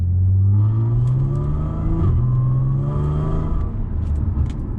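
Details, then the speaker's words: Audi S4/S5/SQ5 3.0T (Integrated Engineering pipes after the cat change), windows up, pull: a low booming exhaust drone rising with revs, very raspy and rattly on top. "Sounds like shit. Very raspy, very rattly."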